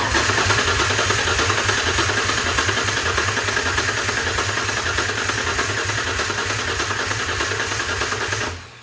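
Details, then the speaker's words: 1993–2006 Ford Ranger with swapped Taurus 3.0 engine and 5-speed, starter jumped with wire, PCM connected: cranks about 200 beats a minute for eight seconds, never fires; no start, PATS anti-theft or 36-1 trigger wheel mismatch with 95–97 PCM suspected. "Well, it seems like we unfortunately still have a no-go."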